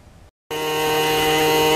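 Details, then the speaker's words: RV black tank flusher anti-siphon vacuum breaker valve under the bathroom sink, spring-loaded one-way valve: loud steady buzzing drone with a sharp tone near 500 Hz starting abruptly; the valve is failing. "okay here's what i'm talking about if you have a noise like this coming from under your bathroom sink you have a bad anti-siphon valve or a bad breaker valve they call them sometimes"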